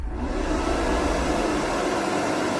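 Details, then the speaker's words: Veichi inverter on mains bypass charging its battery, charge current 22–23 A, expected to rise toward 100 A: steady, even airy whoosh, no pulsing or rattle; normal cooling fan noise under charging load. "Такий шум, тому що на струм, дивіться, зараз 22, 23. Зараз дивимось, повинен піднятися аж до 100 А."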